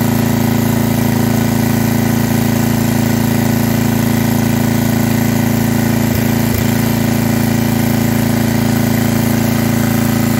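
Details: Estate-sale generator after carburetor cleaning and hours of adjustment; steady drone with faint regular pulsing about twice a second, speed not quite settled; main issue found to be governor arm tension, still needs slight tweak.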